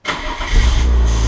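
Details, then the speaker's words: BMW E36 with broken ignition, started by hotwiring the starter wires for a push-start conversion: brief crank, then catches within a second and settles into a steady low idle; normal engine start. "car is started and now to turn it off I still need to figure out what terminals these are"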